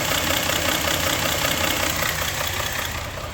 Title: engine knock